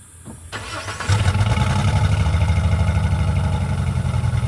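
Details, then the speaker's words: 2004 Jeep Liberty 3.7L after replacing the muffler and tailpipe to cure an exhaust leak: catches and settles into a steady, deep exhaust note with no rattles or leaks, sounding a little louder; normal running. "It sounds louder, a little bit."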